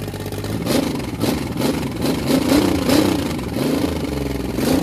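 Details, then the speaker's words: Carbureted 1986 Chevy 4.3 V6 first firing with a new distributor, after a broken fuel line leaked gas: lumpy, uneven revving with buzzy clatter, won't settle to steady idle; needs tuning, some steam seen. "okay all right we got some tuning to do but I love that sound like a pissed off bumblebee"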